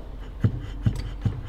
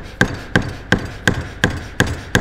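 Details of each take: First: BMW E38 740i air suspension damper: after a rubber piece was fitted between the rattling metal ring and cover, three dull, soft thumps from the rubber end stop, no metallic rattle. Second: BMW E38 740i air suspension strut: seven sharp metallic clacks at about three a second, as the rattling metal ring knocks against the strut stop, shown for comparison; the fix is a thicker rubber piece fitted in between.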